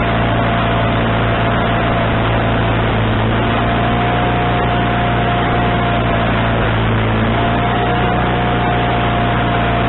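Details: Wood-Mizer LT40HD sawmill engine with a newly installed replacement carburetor: steady, even note that stays fast and never settles. The idle won't adjust down, and the owner suspects the governor linkage was hooked up wrong.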